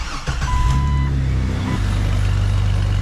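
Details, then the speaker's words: Jeep XJ restored toward stock, first start after fitting new center-inlet exhaust with joined tailpipe and tightened clamp, checking for leaks: steady, even low rumble with no ticking or puffing; sounds stock and sealed, squeaky belt noted. "Sounds nice and stock. Shut her down before I get fumed out here."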